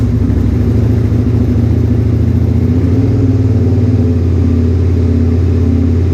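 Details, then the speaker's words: 2001 Suzuki SV650S V-twin, first warm-up run after mods including all 8 valve shims: a steady thrum held high, with the tach reading 1500-1600 though it sounds about 1300. The idle screw is set too high and needs backing out. "Alright, so I gotta bring that idle screw out because I can't get any lower than this."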